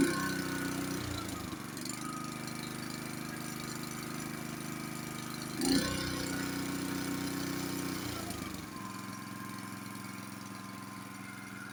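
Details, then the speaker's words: Honda snowblower cold start after sitting 7–8 months, on fresh gas with oil checked, during pre-winter checks: catches and steadies into an even idle with a couple of speed changes; normal start and run. "Let's turn the key on. I haven't started this in about 7 or 8 months, so let's see what happens."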